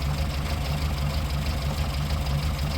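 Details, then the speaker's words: 1954 Morris Minor Series 2 after fixing a loose tappet that rattled while driving: smooth, steady low idle with no top-end tapping as oil reaches the rocker gear; normal idle after repair. "So we're going to start the engine. And there we go. That's now gone quiet."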